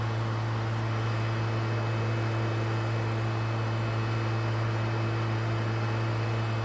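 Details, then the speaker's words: Used PlayStation 3 with a complaint of being too loud and shutting itself off, here loading to a white screen before it beeps an error. A loud, steady roar over a constant low hum: the cooling fan running flat out. "Ah, que barulheira, mano. Que barulheira. Muito barulhento."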